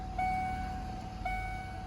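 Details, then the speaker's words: 1994 Ford Ranger after idle air control valve replacement: idle settling from 1500 rpm to slightly under 1000, steady low constant hum with no surging or hunting; normal idle. "1500 rpms dropping down to a thousand slightly below a thousand [Music] very smooth"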